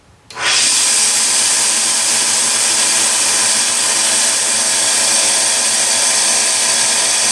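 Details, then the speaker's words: Delta 1-inch belt sander with a quarter-horsepower motor, after repair of a high-pitched screaming fault: it spins up quickly to an even, steady hiss with no squeal or whine; running normally, fixed. "so I think we've got a success yeah I think we've fixed it"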